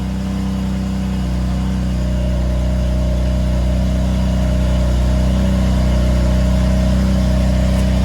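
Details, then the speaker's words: BMW M4 at 30,000 miles, started after replacing the old spark plugs, which had caused drivetrain malfunction hiccups, with new gapped plugs: smooth, even engine note with a steady deep hum and slight rev rise, no misfire; runs properly, no warning light. "So we're gonna start it up and see if it starts running properly with the new ones. Oh yeah, that sounds way better."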